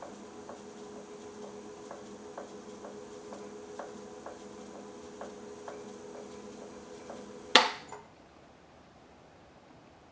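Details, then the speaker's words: Powermatic 3520B wood lathe after a year and a half of use: steady hum with a thump once per revolution at the same spot, apparently from the rear bearing area. It stops when reversed and returns gradually when run forward, and is heard even at higher speeds. "it happens in exactly the same spot each time around it the noise sounds like it's coming from the area in this bearing in the back"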